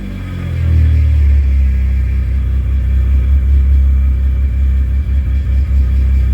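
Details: Car that had stalled twice while driving: it starts quickly and settles into a deep strong rumble with smooth throttle blips and no stumbling or bogging; fuel pump was the fault.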